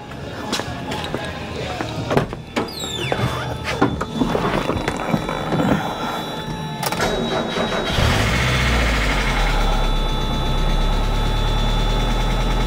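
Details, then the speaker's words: 1991 Mazda Miata first start after timing belt, front cam and crank seals, crank sensor seal and valve cover gasket replacement, coolant refilled, not yet at operating temperature: a few clanks, then catches and settles into steady, even idle; healthy. "okay that's it I mean it runs so that's good we need to take her out on the road and see how she performs though"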